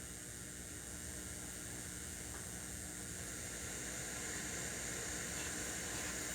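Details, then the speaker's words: Crate CA series acoustic amp, gains at 0, master at 3 o'clock, reverb turned up toward noon: steady hiss that grows brighter and louder partway through; reverb return white noise. "Hopefully you can hear that white noise. Now reverb return is at 3. Now it's maxed out."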